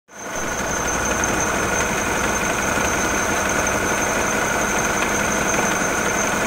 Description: Teil 1: Ursprünglicher Zustand. Unruhiger Lauf mit Vibrationen und "Klackern" des Reibrads bei nicht angetriebener Wasserpumpe.